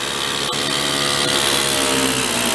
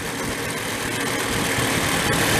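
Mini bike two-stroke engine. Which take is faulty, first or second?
first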